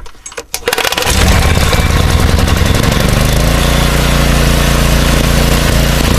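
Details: Troy-Bilt 5550 watt generator, used, with reworked handle: one pull without choke, catches within a second, then a steady even single-cylinder drone with no misses; normal running.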